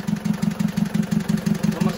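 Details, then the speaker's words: Diesel engine still running rough after an engine overhaul. Lumpy, heavy, uneven idle ("tek tek tek"). Loosening each injector line in turn, cylinder 2 gives no change; its nozzle is removed to check the spray pattern. Misfire on cylinder 2. "tek tek tek suara ini ya Nah ini kan pincang ya pincang suaranya"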